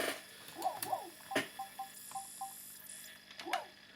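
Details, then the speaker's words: Sega Saturn after capacitor replacement and raising a spindle that was scratching the disc: faint whirring chirps and clicks in repeated seeking bursts as the failing laser struggles to read; fixed by swapping the laser. "But I can also hear the laser struggling to read that. It's really struggling."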